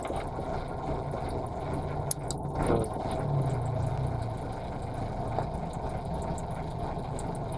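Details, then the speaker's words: Nissan Sentra B14 that was misfiring, after new spark plugs and a cleaned valve: steady, low, even idle with no stumble or shake; the engine now runs smoothly. "Ramdam mo naman wala lang kanginig-nginig men."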